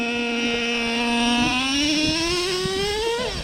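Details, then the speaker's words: Traxxas Revo 3.3 nitro during break-in, mixture still kept rich; throttle punched, pitch climbs smoothly with no bogging or sputter; clean low-to-high-speed throttle transition. "That's really clean."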